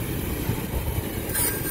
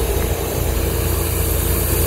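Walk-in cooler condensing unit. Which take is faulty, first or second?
first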